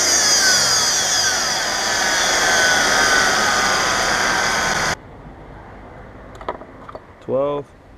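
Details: 2012 Mercedes-Benz E350 BlueEfficiency, before idler pulley replacement: loud high-pitched whine over the running engine, slowly sliding in pitch with speed, then it cuts off; a failing idler pulley.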